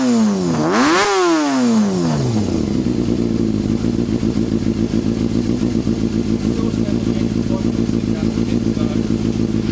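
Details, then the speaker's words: Honda CBR250RR MC22 four-cylinder after a no-start repair, cold start and still a bit cold: a quick throttle blip drops back to a steady, even idle with a slight hunt and no knocks; running healthy. "Running perfectly now. Goes up. So it's still a bit cold, but she's running really nice. It's got that nice hunt to it."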